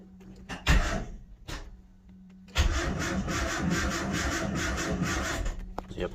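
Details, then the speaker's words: Nissan Hardbody turbo truck (stock internals, about 400 hp at 23–24 psi) cranks slowly in a laboring rhythm, about four compression strokes a second, too slow to register RPM on the tuner; never starts. "the motor is spinning so slow that it's not even showing the RPMs."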